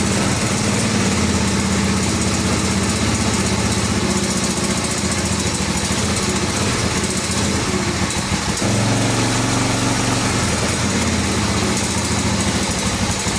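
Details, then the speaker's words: 1986 Honda Fourtrax 350 4x4 ATV, idling after valves were adjusted to .003 in: a steady, even single-cylinder idle, with the earlier ticking (cam chain suspected) basically gone apart from an odd faint tick; normal idle. "basically gone can hear it ticks sometimes but that's basically gone"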